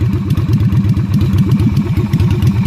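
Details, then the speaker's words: Yamaha Virago XV250 (Route 66 edition) V-twin idling on open straight pipes: loud, raw thumping with sharp unmuffled pops on every firing; failed inspection for the straight pipes, and stock mufflers are to be refitted. "back from the inspection place won't pass I already know why because it made straight pipes"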